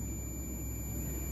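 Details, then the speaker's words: MX HP Pro 20000 amplifier in protection mode: steady unbroken continuity beep, one of two paralleled power-supply MOSFETs full short while the other shows only source-drain continuity and no gate-source short; shorted MOSFET. "देखिए एक ये full short दिखा रहा है और ये दूसरा खाली ये सोर्स और ड्रेन आपस में शॉर्ट दिखा रहे हैं और गेट और सोर्स शॉर्ट नहीं दिखा रहा है।"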